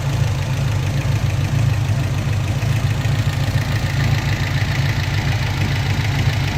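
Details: 1974 Alfa Romeo 2000 petrol engine with Weber carburettors idles with a deep, uneven, lumpy beat; it drives OK but the carbs sometimes spit at 2500 rpm.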